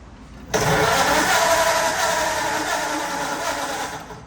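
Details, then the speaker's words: 1935 Ford flathead: steady cranking about four seconds with no catch after briefly firing and idling; spark tester shows spark, so it's starved of fuel; carburetor to be disassembled and cleaned. "But it did hit and sat there and idled for a second. It's definitely not getting gas."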